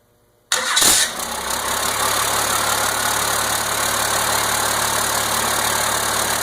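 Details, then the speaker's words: 1992 5.9 12-valve Cummins diesel, first start after complete rebuild once 12 V fed to fuel solenoid: brief crank, catches immediately into even, steady idle clatter with no misses; healthy start and idle. "this is a a 1992 2 12 valve cumins Diesel and this is the first start since it's rebuild and I'm going to I'm going to show you what it sounds like right now"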